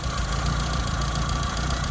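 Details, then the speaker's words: Car, not fully warm: lumpy low idle with an uneven beat and the odd stumble; misfire, with wrong resistor BP6 spark plugs fitted, a rich mixture and the points gap possibly too small. "It's not fully warm yet, but as you can hear, it's got a bit of a misfire."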